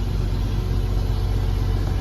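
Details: Jeep Cherokee XJ after ECU no. 252 repair with new capacitors: steady even low idle with AC on, no knocks or misses; charging system normal, ECU working fully.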